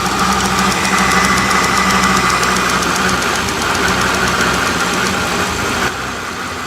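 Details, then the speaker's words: 2004 Mercedes SL600 R230, 5.5 L biturbo V12, at idle: fast intermittent ticking snap over smooth idle that fades; owner suspects spark randomly escaping on one side, also plans to check charge pipes and clamps. "I don't know if you guys heard that or not, but it sounds like spark randomly escaping on this side."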